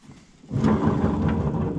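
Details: John Deere GX75 mower deck blade spindle, spun with the blade removed: a dry gritty rumble that stays rough throughout. The spindle bearings are worn and noisy and are to be replaced.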